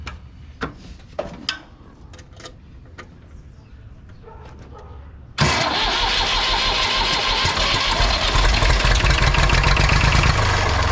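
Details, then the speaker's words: Massey Ferguson 35 tractor with Perkins A3.152 diesel, first start after head gasket replacement (failed gasket caused oil leak): a few clicks, then fires at once and settles into an even, steady knocking idle with no misses; normal start and idle. "oh hear it all right she runs as good as she looks"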